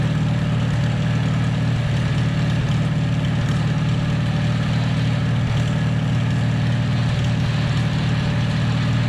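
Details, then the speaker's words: 1949 Farmall H tractor after sitting for years: loud, low, rough rumble with an uneven churning beat about four per second. Rear end was low on gear oil, causing the noise. Rust or a stuck input shaft was suspected. Diesel was added to flush it. "Yeah, we were a little low on gear loop on the rear end. So, that's why that noise was happening."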